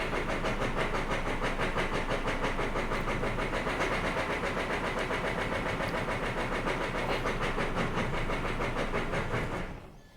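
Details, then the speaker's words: 3-year-old diesel truck started after five fuel-pump priming cycles: ragged, uneven clatter around three beats a second that never settles, then dies; running very rough, injector/fuel-system fault ruled out, motor found completely destroyed. "Oh. Uh-oh. Let's see again. It's running, but barely."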